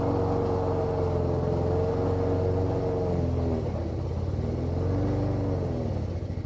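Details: Toro lawn mower small single-cylinder engine, cold start after priming trouble and a backfire; finally caught and holds a steady, slightly uneven putter with low hum; running normally.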